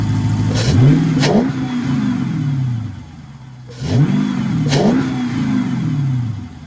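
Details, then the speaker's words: 2009 Dodge Charger Pursuit 5.7L Hemi V8 just fitted with an Airaid cold air intake, warmed up a little after a cold start; smooth idle with two clean blips, revs rising and falling evenly with no knocks or misses, sounding normal. "I don't know if y'all can hear that man it sounds actually pretty cool hell yeah"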